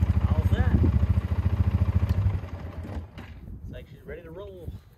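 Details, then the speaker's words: 2009 Polaris Sportsman 550 XP after its stripped shifting bell crank was replaced; it came in clunking and lurching in gear. Regular thumping idle, about 3.5 beats a second, with no grinding or clunking; shifts and runs normally. "it's shifting how it should the noises"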